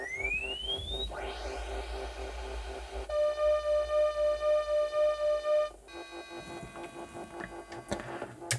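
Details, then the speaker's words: Commodore 64 SID sound chip under a SID test program isolating voices: chirping sweep, then pulsing steady test tone with stray extra tones that shouldn't be there; faulty SID chip. "yeah there's definitely additional sounds that shouldn't be"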